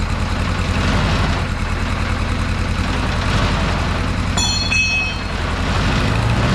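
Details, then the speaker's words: 1982 Kawasaki KZ1000 LTD after 35 years sitting, first start after fuel sent to the carbs: lumpy uneven idle, not firing on all four cylinders, evening out toward the end; suspected misfire, later tuned, carbs possibly jetted lean. "time to listen to this KZ purr woo not hitting all four yet I don't think"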